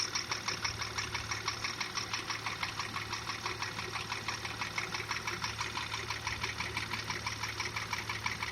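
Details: Porsche Macan petrol engine at 74,000 km with high oil consumption, idling with a steady sharp knock about three times a second; endoscope inspection finds cylinder wall scoring, piston slap.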